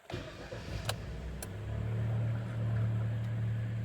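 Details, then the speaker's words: 2012 Kia Sportage G4KD, manual, AWD, 176,000 km, first start after block sleeving and piston repair for heavy knocking: fires and settles into a smooth, quiet, even low idle with no knock or ticking; healthy. "Ну что? Работает ровно, работает тихо."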